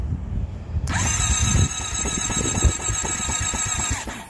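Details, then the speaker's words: Honda CBR650F first start of the year at about 5–6 °C after winter, battery kept on a maintainer: the starter churns with uneven chuffs for about three seconds without catching; cranks but won't start, owner unsure whether battery or cold. "oh my God it doesn't sound good I don't know if the battery is bad or the bike is too cold let's see let's do it once again no it did not start"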